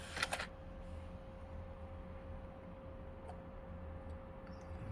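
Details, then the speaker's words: PS2 SCPH-39001, lid open with top magnet placed on the SOCOM 2 test disc during laser testing: couple of soft clicks then quiet steady spindle hum, no grinding or repeated seeking; drive spins up and reads normally. "Now she's reading. There she goes."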